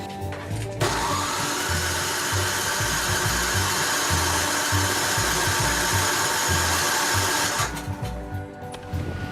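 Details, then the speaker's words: Snowblower reassembled with axle greased and auger oiled, started in the cold: steady electric cranking with rhythmic compression pulses, about three a second, that never catches. The owner suspects no spark. "Alright, so it's not starting. I'm getting the feeling I'm not getting spark."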